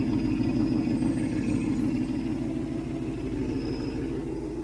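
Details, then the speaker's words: 1967 Ford Mustang 390 V8 after rebuild, choke wide open: steady, even idle with deep regular lope, no misses or hiss; sounds excellent, no smoke, exhaust leak still to fix. "Boy, that sounds good. That is excellent. Absolutely excellent."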